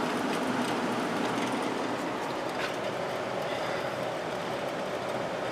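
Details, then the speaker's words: 1972 GE Slumberline 6,000 BTU window air conditioner with the fan only on low, drawing 1.8 amps, compressor off. A steady, soft rush of air with an even low hum and no rattles or ticks: the fan is running normally. "1.8 amps on low let's go to medium 1.97 and high 2.63 that uses a lot of power just that fan motor alone"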